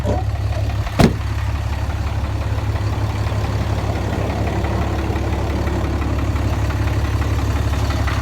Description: 2010 6.7 Cummins deleted making knocking noise sounds like it’s coming from the bottom end.